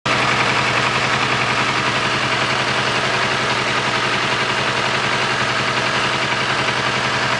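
Loud, busy idle with a fast, uneven tapping of roughly four beats a second over the engine note; something's off, cause not yet known.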